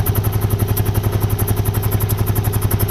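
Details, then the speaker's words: 1980 Honda CX500 Custom barn find, just after carb clean and reinstall into stock airbox: even idle pulses about ten a second with a faint sucking hiss; intake air leak at one carb side causing hesitation, owner plans JB Weld. "It is leaking. Boo. The other side's good though. So I gotta JB weld that shit, and then I think it'll work fine."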